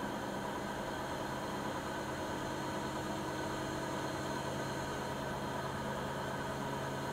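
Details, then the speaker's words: Siemens iQ300 WG41A1X1TR washer (9 kg, 1000 rpm) on the spin program, rated 72 dB in spin and 48 dB in wash. A steady, even hum with a low motor tone and no knocking or scraping; the spin is normal, though not silent. "Makinemiz normal şartlar altında yıkamada 48 desibel, sıkmada da 72 desibel sesi mevcut."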